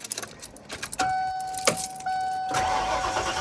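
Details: Ford Econoline van's first start after a new fuel pump, OEM Motorcraft filter, about 17 gallons in, and air purged: short cranking, catches about 2.5 s in, and settles to a steady idle over a chime. Normal start.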